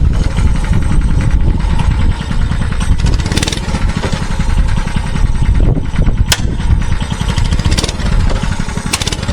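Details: Mini bike that stalled on throttle, now with the governor spring removed: the single-cylinder engine keeps popping along steadily as the throttle moves, without dying; stalling largely fixed, carburetor still to be replaced.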